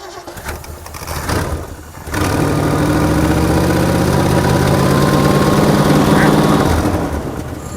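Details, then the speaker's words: Ford 289 V8 with a rebuilt Autolite 2100 carburetor and electric fuel pump: catches after a couple seconds of cranking and settles into a steady idle with a faint rhythmic chuff from a busted exhaust manifold on one side. "really what we're trying to do here is we're wanting to see if we can hear anything that we don't like the sound of in this engine so far now we do have a busted manifold on this side"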